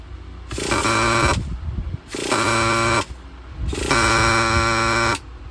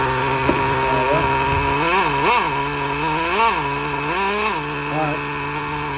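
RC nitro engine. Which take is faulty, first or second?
first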